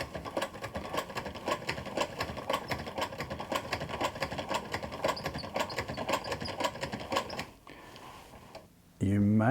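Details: Vulcan Senior toy child's chain-stitch sewing machine, substitute parts in the thread tension assembly: light regular ticking about three per second as the crank turns, then stops; the needle flicking off the looper, normal stitching.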